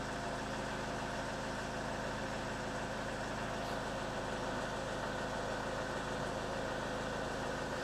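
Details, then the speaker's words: 2012 Ford Mondeo 2.0 TDCi diesel ticking over just after an oil and filter change with just over 5 litres of new oil, not revved; oil pressure light went straight out. Steady, even diesel clatter with no ticking or knocking. All sounds normal. "That's it, the oil pressure light's gone straight out, so that's good. All sounds normal."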